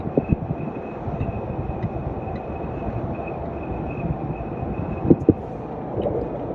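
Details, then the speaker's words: Brand-new 2021 Ram 1500 TRX driving: thin, steady high whistle over road rumble, wind entering the cab from the passenger-side A-pillar; foam air block found fallen out. "i drove it just a little ways and the the wind noise sounds like a whistling noise"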